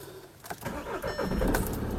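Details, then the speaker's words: Audi A1 diesel (called a 1.9 TDI), first start after a diesel fuel filter replacement and fuel-system purge, in neutral with the brake on and no throttle. Brief crank, then it catches and settles into a steady idle; normal start. "Et puis pepper. 3 litres de V6, brrr. 1 litre 9 TDI, bonjour."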